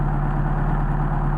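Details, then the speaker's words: Mercedes 190SL with rebuilt, unmachined Solex 44PHH carbs: steady fast idle with an even deep hum that drops 100–200 RPM when the throttle linkage is pressed and jumps back up on release; air leak at worn, poorly bushed throttle shafts causes high idle. "Now you see, if I put some extra pressure on them, I dropped about 100, 200 RPM. Maybe you can hear the difference. Now when I release, you hear it jumped up a little bit."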